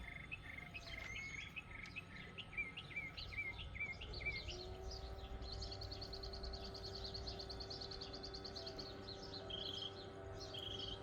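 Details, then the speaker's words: 2009 Toyota Highlander Hybrid with a hybrid system check light and codes P0A93 and P0A05: the removed inverter coolant pump, bench-powered from the battery, gives a faint steady motor hum under birdsong, spinning but weak; it is the failed pump, before replacement. "So I don't know if you can hear that. It is spinning but not very uh uh powerful. It is kind of spinning very weak."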